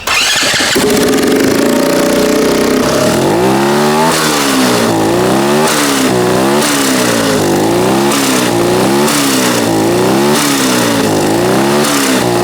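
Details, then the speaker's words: Turbocharged 150cc go-kart engine with a very small turbo and crude dump pipe, free revving: blips about every second and a half with fluttering chatter from the turbo as revs drop; normal turbo flutter. "All right, success. We have our turbo flutter."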